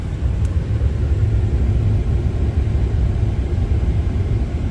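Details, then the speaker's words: 2003 Ford Expedition 5.4L Triton V8 after heater valve replacement, at operating temperature with coolant filled and no leaks: deep, even rumble with no misses, knocks or ticks; smooth warm idle. "Alright, so the car's running. We got it filled up with some coolant. We're not leaking anywhere. We're up to temp."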